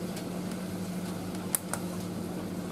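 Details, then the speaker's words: Indesit IS31V 3kg compact reversing tumble dryer, about 2 kg load, full heat, 45-minute cycle, door briefly open: soft steady low hum, faint drum tumble and light clicks, no rattle or vibration; quiet, normal running. "it's a lot quieter than the uh cradles and it doesn't vibrate at all"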